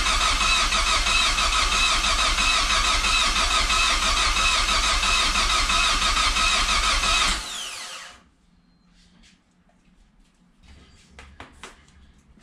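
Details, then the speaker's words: First start attempt on a freshly built Project Zero 18 engine running an unverified base map on an Emerald ECU: even starter cranking about three turns a second for seven seconds, never firing. Both fuel pumps run, oil pressure is good and fuel can be smelled. Owner suspects too little fuel or wrong timing. "well i think that's a no but i can smell fuel so i think the injectors are going"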